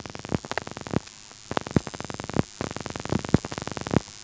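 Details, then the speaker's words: 1977 Elizabeth City NC step-by-step exchange with directors, dialing 338: three distinct groups of rapid clicking pulses with short gaps. This is normal director pulsing; the director decides the route, then dials out 6 plus 8. "As you can see, there were 3 pulsing events after we dialed 338. 3 sort of groups of pulsing noises that sounds almost like 3 digits, but actually the number of digits being dialed out is equal to the number of pulsing events minus 1."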